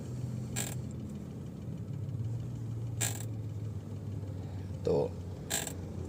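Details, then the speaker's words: Mahindra XUV300 steering column, engine idling: a dry creak every couple of seconds as the wheel is turned left and right, feeling as if something in the column is jammed; fixed by repairing and greasing the column after disassembly. "तो यह जो आवाज़ आप देख रहे हैं यह वाली तो इससे स्टेरिंग में यह और हम जब राइट या लेफ्ट स्टीयरिंग जब हम काटते हैं तो यह वाले ऐसा लगता है जैसे हमारा स्टेरिंग कोई चीज जाम है"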